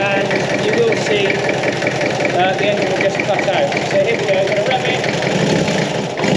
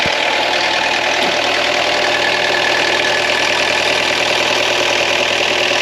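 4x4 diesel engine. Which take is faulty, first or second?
first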